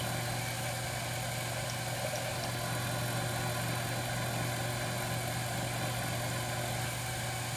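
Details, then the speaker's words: Lathe drilling a bass guitar knob blank with a 15/64 drill bit from the tailstock chuck at about 600 rpm: steady low hum with an even whir, no chatter or squeal; normal drilling. "there's a five six or I'm sorry 1564 drill bit and that is cutting just swell dude about 600 rpms"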